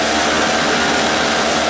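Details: Five-dollar two-stroke 900 W portable generator, first start, run on choke with starting fluid: a loud, steady buzzing drone with no misses or surging. It runs smoothly with no load.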